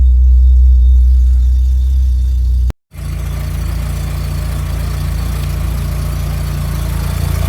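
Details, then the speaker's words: Mk2 Golf VR6 after an alternator replacement: it starts better than ever and settles into a steady, smooth idle with regular firing; the alternator is suspected to have caused the earlier running issues. "may have solved the issues cuz it's that started up a lot better than it has ever done. And the revs are actually nice and smooth as well."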